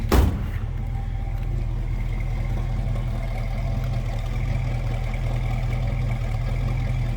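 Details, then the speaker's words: 1966 Ford Mustang Fastback with a 289 V8, idling and heard from the rear: a deep, even burble with a mild classic exhaust rumble and no misfire, tick or knock. It sounds healthy. "guess what you'd expect, 66 Mustang with a 289, nothing over the top. crazy loud exhaust, just a nice classic rumble."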